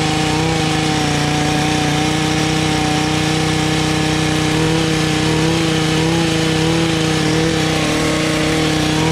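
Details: Echo HC150 hedge trimmer, first start on cold-start choke after fitting a cheap Amazon Chinese carburetor: small two-stroke holds a constant high buzzing pitch with no drop to idle; throttle not working properly, high idle needing adjustment.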